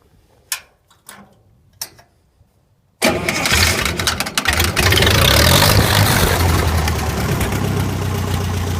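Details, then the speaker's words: Restored Lincoln SA-200 Redface Pipeliner welder engine: a few clicks, then it fires at once and settles into a steady, even idle without misfires or knocks; runs healthy. "you can hear, this thing definitely will run, and it will certainly lay down the metal."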